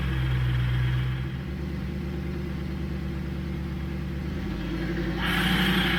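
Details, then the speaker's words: NP231 transfer case with front and rear driveshafts removed, engine running: a steady low whine climbs in pitch with speed, confirming the transfer case as the source. The cause was eventually found to be a different gear cut. "so with the drive shaft off you can very noticeably tell that the sound is coming from the transfer case now"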